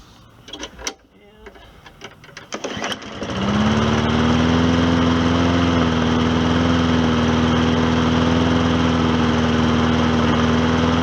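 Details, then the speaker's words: Old Hyper Tough mower run on diesel oil after maintenance, choking a little at first and then levelling out. Steady, even run with no knocking: normal running after repair. "notice how it got leveled out and uh I'm gonna call that a successful repair see that that diesel oil they didn't hurt it any"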